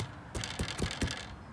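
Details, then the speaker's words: 2019 KTM 300 EXC TPI: four quick light rattling clunks as the front end moves, excessive spring chatter from inside the fork, sounds really loose; dealer to inspect, thinks spring chatter may be fine, cause unconfirmed. "it sounds like something's really really loose so the great guys at Jemima in Braintree are gonna check it out next week"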